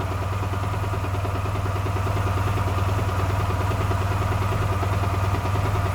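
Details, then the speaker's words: Honda Silver Wing 600 scooter, about 23–24 thousand km, idling with a regular knock riding over the exhaust; the variator has been ruled out and worn connecting-rod or main crankcase bearings are suspected, with engine removal planned. "есть наше предположение что либо шатунные подшипники либо коренные которые стоят они в картере здесь"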